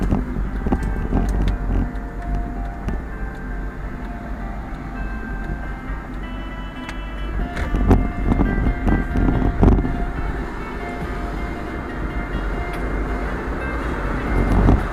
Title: Viofo A118C V2 Vibration Noise Problem